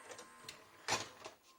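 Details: 1998 JVC HR-J756MS VHS deck, water-damaged, after repairing the loading lever: light clicks and one short clack as the cassette seats; loading mechanism runs cleanly.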